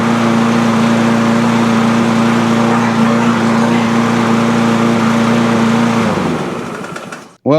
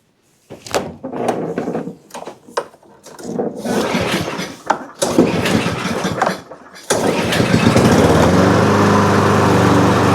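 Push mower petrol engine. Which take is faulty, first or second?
second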